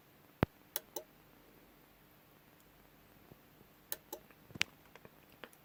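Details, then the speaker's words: CTEK MXS 7.0 charger on AGM setting charging an AGM battery makes sharp, irregular clicks inside the charger, a fraction of a second to several seconds apart; owner wonders if it is the desulfation process, not confirmed. "I've got it on the AGM setting but some reason it sounds like there's just a really clicking back and forward inside the charger"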